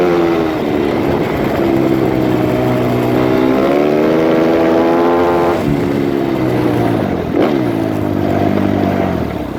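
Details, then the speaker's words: Suzuki RMZ 250 previously wouldn't start; after re-timing the cams, revs rise and fall smoothly with the throttle, no misfire or knock; normal running. "Well, there you go. Bike runs, does what it's supposed to do."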